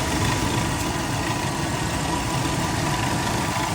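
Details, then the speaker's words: V6 truck or van at auction, idling: a low, even hum with no misses, knocks or ticks. Normal smooth idle. "is smooth though [Music] engine is very smooth"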